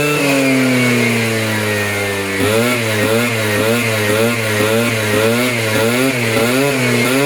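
Buzzy two-stroke idles steady, then blips repeatedly with pitch rising and falling cleanly each time; sounds healthy after the rebuild.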